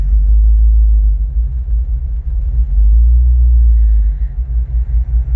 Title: Help needed - Landrover 3.9V8 rough idle